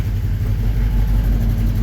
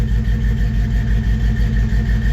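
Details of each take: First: 1954 Chevy 3100 engine at idle: low uneven lumpy pulse with occasional stumbles; owner says one cylinder isn't hitting, unsure which, suspects injectors at first, later finds injector working but a spark plug not sparking. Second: 1954 Chevy 3100 engine, after refilling radiator with water and clearing code with reader: even steady idle, about three pulses a second, no misses or stumble; all cylinders firing cleanly.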